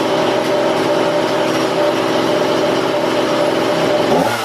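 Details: Husqvarna 235e/240 chainsaw being carb-tuned by ear without a tachometer, held at full revs: a thin, steady high scream with no burble, then it drops off; turned up, the high-speed mixture leans way out and the flutter goes away. Lean high-speed mixture.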